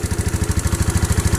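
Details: Yamaha Mio J/Sporty scooter at cold morning start, slightly smoky: lumpy uneven low chug of about eight beats a second, rough cold running; cause suspected, not confirmed.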